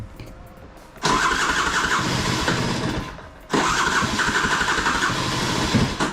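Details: Piaggio Skipper 150cc scooter, very hard to start: two long cranking bursts of about two seconds each, then the engine barely catches and runs harsh and loud before dying; seized piston.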